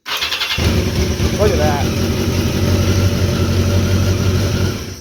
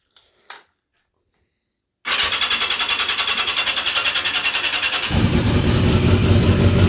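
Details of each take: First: 1982 Yamaha XJ650 that wouldn't start until the starter button was released, with a 40-year-old ground cable and weak battery, tested with an added ground: brief whirr, catches within a second, steady even idle; bad ground confirmed. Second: 1982 Yamaha XJ650 with a weak battery: starter spins evenly at three to four beats a second, then gets heavier and rougher but never fires; it would only start on releasing the button. Cause: bad ground.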